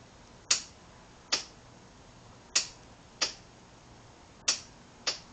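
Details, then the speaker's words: 2007 Yamaha V-Star 1100 in neutral with a new battery, lights and horn working: isolated sharp single clicks per start press, no cranking or motor whir; starter not turning, cause unknown. "a click. That's it. No other sound."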